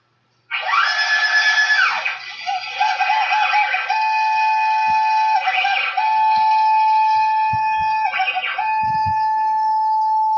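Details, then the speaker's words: CNC machine after vendor fitted supposedly new linear rails and bearings, client reports random disconnects while cutting; stepper whine changing pitch with each axis move over a gritty marble-on-glass rolling rattle; suspect rails, bearings or ball screws. "now do you guys hear that noise it almost sounds like a marble running across glass listen carefully there you go you heard it real well there um just listening to that you already know there's something going on in the linearity of the system"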